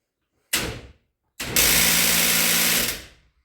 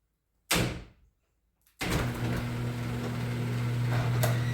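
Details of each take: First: Genie screw-drive garage door opener trying to open: starts, stalls, then grinds harshly; stripped gear in the trolley, fixed by replacing the trolley. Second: Genie screw-drive garage door opener after replacing the trolley and greasing the screw with white lithium grease, previously grinding: a single click, then a steady, even, quiet motor hum with no grinding.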